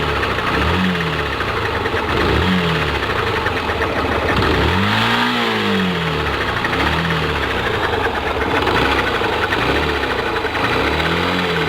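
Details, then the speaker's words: Yamaha Factor ED single-cylinder right after its 12,000 km dealer service: idle with a fast, light ticking over the beat through throttle blips. Rider unsure whether it is the cam chain or valves; valves had been ticking before; cause unconfirmed. "Agora não sei que barulho é esse. Olha só, eu não entendo nada de motor, não sei se é corrente de comando, como falam, se é isso, se não é."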